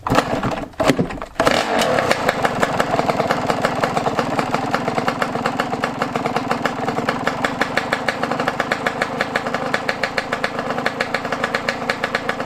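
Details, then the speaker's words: Yamaha YZ125 two-stroke being carb-adjusted outdoors at about 20 degrees: after a few throttle stabs it settles into a crisp, regular popping idle with no stumbling. The carb setting sounds right. "i'm pretty sure right there is good she sounds good right now y'all i ain't gonna catch she sounds good"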